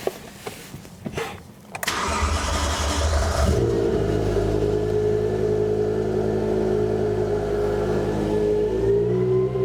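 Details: BMW E60 M5 S85 V10, first startup after new rod bearings, run only briefly without coolant, secondary air pump hose disconnected: starter whir, catches, smooth steady idle, no knocking or leaks; normal startup and idle.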